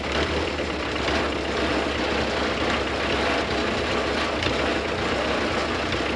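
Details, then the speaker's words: Nissan SD22 2.2L 4-cylinder diesel in an Oliver OC-3 crawler loader, just started at partial throttle, no coolant: steady low diesel rumble with even beat, no misses or knocks; running smoothly. "now I have this set to partial throttle let's see what happens too close it wants to [Music] go oh we're almost [Music]"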